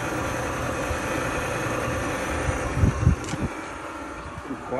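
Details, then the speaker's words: Frigidaire gas dryer that had a broken belt, running after the repair: soft, even drum rumble with a low steady hum and only a couple of brief bumps, the drum spinning smoothly and quietly. "let's see if it starts up yeah spinning"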